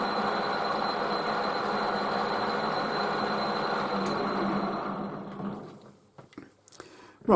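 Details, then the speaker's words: Lathe quick spin-up on chromed shock absorber rod stock: steady even hum with a faint constant high whine, then winds down cleanly; the machine is fine. "that's fair enough that machine's all right"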